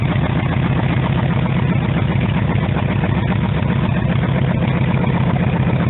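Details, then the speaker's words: Normal idle: a 1948 Harley-Davidson EL Panhead after a cold start, needing two full kicks and full choke, with the carburettor readjusted and timing set. Even, loping low-pitched V-twin idle at a steady beat, no knocks or misses; sounds good. "and here's the whole go right here. Nice and easy. Sounds good."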